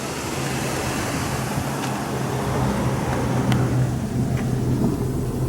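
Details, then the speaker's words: Dodge Caravan at about 147,000 miles, after new spark plugs and wires and ATF burn-off: nice and smooth steady idle with soft low hum, no misfire or ticking; tailpipe sounds like a Chevy V8; normal idle. "oh yeah nice and smooth 147,000 Mi I did this check our tail pipe sounds like a Chevy V8 back here"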